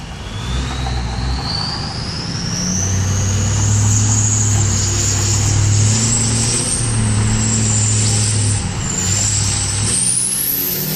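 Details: 2003 Powerstroke diesel: loud high turbo whistle climbing and wavering with engine speed over a deep diesel rumble; insanely loud but healthy turbo spool.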